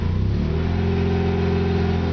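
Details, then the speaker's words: Mazda RX-8 with brand-new engine, full header-back exhaust and downpipe, at operating temperature: deep throbbing idle pulsing up and down, rough even cold; code thrown but unread; dealer suggested computer or exhaust. "started doing this about about there on the temperature gauge I don't have the cob with me so I don't know exactly how warm that is but even at a cold idle it sounds kind of rough"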